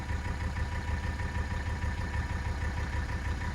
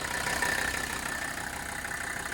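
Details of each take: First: 1984 Mercedes-Benz 300D turbo diesel W123, warmed up, after replacing vacuum line fittings (smoke test found nothing): steady low diesel chug keeps running 5-7 seconds after key removal, prolonged run-on blamed on a minor vacuum leak still being tracked. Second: 1984 Mercedes-Benz 300D turbo diesel W123 after replacing vacuum line fittings for a vacuum leak causing prolonged shutdown/run-on; steady even diesel clatter at idle, runs smooth, smoke test showed nothing obvious, still warming up.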